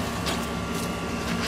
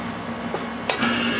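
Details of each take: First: Central AC condenser after a bad capacitor was replaced and the disconnect reinserted: only a steady fan whir and faint hum, no compressor start. A continuity test across common and run is open and the compressor is hot: it is out on thermal overload. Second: AC condenser after hosing down the overheated compressor until its windings closed: a short click, then the compressor starts into a steady hum with a faint whine, running normally.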